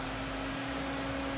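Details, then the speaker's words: Manitowoc ice machine condenser fan with its fan cycle pressure switch bypassed as a temporary fix, running with the compressor: an unbroken steady hum with airflow hiss and no speed hunting, fan running constantly and evenly. "we have a functioning tram and a functioning compressor just like it just like it normally does but what the fan pressure switch bypass it's gonna be staying constantly running like that the whole time"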